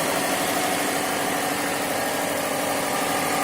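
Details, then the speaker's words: 2005 Subaru WRX wagon at 179,010 miles after valve cover gasket and spark plug replacement on both sides: short steady idle, smooth even beat, no ticking or knocking. "Alright, got some more mileage on, 179.01, so these will be easy to remember. Give it a start. Sounds good."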